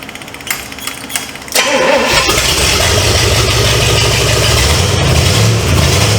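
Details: 1970 Pontiac LeMans with Pontiac 350 V8, unrun for decades, started on a temporary fuel feed before the water pump and radiator are fitted, oil pressure unchecked: brief crank, clean catch, strong steady idle, no knocks or misses.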